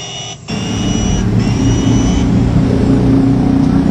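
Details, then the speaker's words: Electric wood planer motor overheating after new armature, upper and lower body worn: on first test, rough rumbling growl under the hum; armature rubs stator because the lower bearing seat shim is too thin. "ada suara ngoroknya guys Oke untuk percobaan yang pertama gagal dikarenakan ganjelan yang bawahnya ini kurang ganjelan bearing nya kurang tebel"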